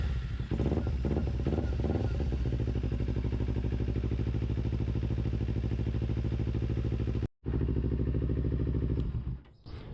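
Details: 2008 Kawasaki Ninja 250 carbureted motorcycle started after sitting all winter, with brake cleaner sprayed into the air box: a few sputtering catches, then a steady, even, low idle thump with no knocks or rattles; normal cold start and idle.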